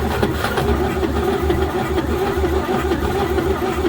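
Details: 1949 Chevy truck, cold start attempt after 24 years parked, gas can feeding fuel, jump box connected, points possibly needing filing: uneven, labouring cranking with a low rumble that never catches; cranks but won't start, cause unconfirmed.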